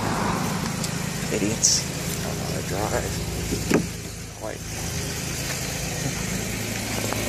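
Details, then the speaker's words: Chevy Equinox with about 144,615 miles after overheating repairs (new radiator, coolant, water pump, exhaust studs): quiet, even idle hum with some handling noise, no knocks or misses; runs healthy. "let me go ahead and start it up for you here runs like brand new"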